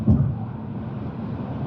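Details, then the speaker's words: Infiniti G37, previously mechanically totaled, on its first drive after a $20-part engine fix and a transmission fluid service, cruising in Drive sport mode with no warning lights and good temperature: smooth even hum, no knocks, ticks or whine. Normal engine running. "drives good no warning lights temp is nice and good um yeah engine at idle sounds healthy"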